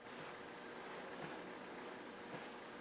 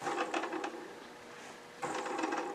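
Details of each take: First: Record Power Small Projects two-bearing lathe mandrel saver hand-spun quietly, only soft finger flicks about once a second and no bearing rattle, unlike a cheaper one-bearing unit that rattles. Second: Cheap single-bearing live center (mandrel saver) spun by hand: dry, tinny metallic rattle from its one bearing, unlike a silent two-bearing unit.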